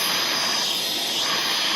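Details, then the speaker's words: Dented two-stroke expansion pipe pressurised above 80 psi and heated red with propane to remove dents: steady sharp hiss as air leaks as pressure rises with heat. "I hear a hiss. So it's starting to leak a little. The pressure's obviously going up when it gets hot."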